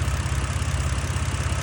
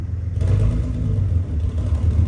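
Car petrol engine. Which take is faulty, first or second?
second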